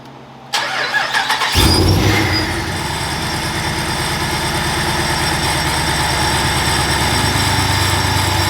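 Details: Frostbite Ram V8's first start after a TorqStorm supercharger, intercooler piping, blow-off valve and overflow tank install, battery freshly charged: it cranks, catches and idles steadily with a clear, even supercharger whine.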